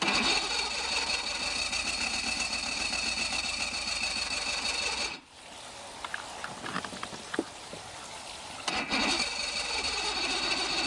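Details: 1985 Mercury 50 hp two-stroke outboard started with ear muffs on the intake and the electric choke clicking but unused, running with a steady, busy buzz, briefly cutting out with clicks, then picking up evenly; sounds healthy.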